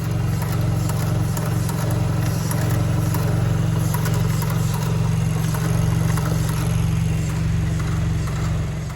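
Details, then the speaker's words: Vanderhall that overheats after long periods in the sun, hot engine: light sharp ticking clicks over steady idle rumble from a component very hot to the touch; owner suspects it triggers the no-restart problem until cooled. "And so the clicking sound that you hear is coming out of this area right here. This baby right here. It's really hot to the touch. And so I believe that's what's triggering this problem."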